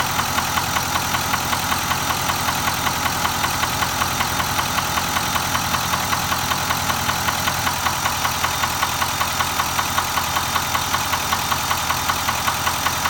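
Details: Nissan Titan XD at 13k miles: a steady, even knock at roughly 78 per minute rides over the idle and never drops out, pointing to internal engine knock.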